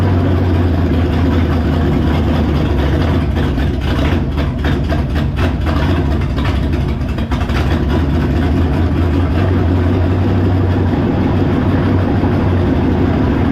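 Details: V8 on a test run: deep, heavy rumble at fast idle with an uneven, wavering beat and occasional stumbles, rough running. Owner suspects the choke, carburetor, base plate or coil; cause unconfirmed. Water pumping out noted.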